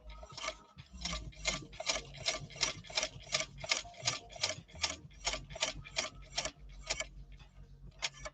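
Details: India-made replica sewing machine, flaw fixed, stitching thick leather: quick, even clicks at just under three a second, no binding or clatter; running smoothly.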